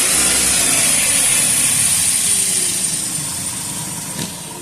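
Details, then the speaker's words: 2012 Chevrolet Captiva 2.4 16-valve petrol engine after a timing chain repair for chain noise: it runs smoothly with a light rev and settles back toward idle, with no rattle or ticking; noise eliminated. "Então a captiva zerou o barulho."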